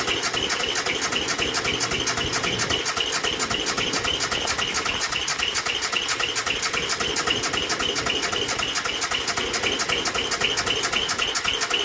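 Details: Worn-out Bolens G174 diesel tractor, no hour meter, cold start attempt in July at about 90°F. Glow plugs, air filter, fuel, starter and battery were checked; compression is 325 psi in cylinder one and 395 in cylinder two. Steady cranking at nearly four beats a second, never firing. Hard starting from low compression.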